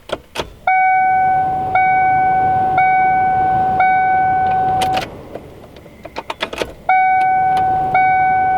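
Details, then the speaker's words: 1995 Ford Mustang GT after gas tank replacement, tank filled from jerry cans: at key-on the fuel pump gives repeated steady high hums of about a second each, with clicks between, priming normally several times. "so I'm gonna turn the key and let her prime a few times"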